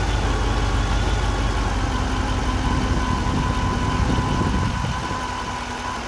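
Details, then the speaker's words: 2008 Pontiac GXP at idle, almost 150,000 miles, alternator putting out only 13–13.5 V: faint constant whine over engine note with burning electrical smell; failing alternator whine, compared to a failing power steering pump. "so right now the smell is so bad basically the alternator is failing and uh I'm going to be shutting it down here"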